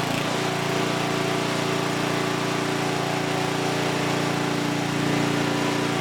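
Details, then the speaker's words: Huskee rear-tine rototiller abandoned by previous owner, after recoil repair, carb and fuel tank cleaning, running hot before oil change: small single-cylinder holds a steady, even buzz, no misses, knocks or speed swings; engine is good, normal running. "okay so here's what we know the engine is good"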